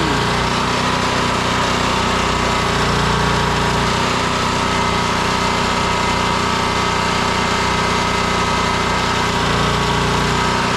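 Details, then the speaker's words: Generator after hard start, running with a load plugged in: steady, even engine drone with mild hum underneath; power works, though it then smells too hot and air filter gets cleaned. "So, I'm going to go and grab something to plug in and see if the power works. Yeah, it works."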